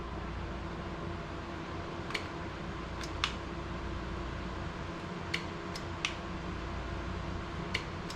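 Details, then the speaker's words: Craftsman Pro carburetor fuel shutoff solenoid with 12 volts applied, recorded up close; crisp light clicks over a steady fan hum; the solenoid is clicking in and working. "yes i hear it hopefully you could hear it too so that's working"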